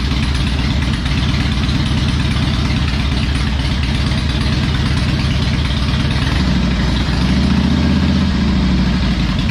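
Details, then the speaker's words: Harley Electra Glide restarted: steady lumpy low V-twin idle with even beat, no knocks or misses; normal idle, running better. "so we'll start it back up let's see if she's running good still sounds good i think"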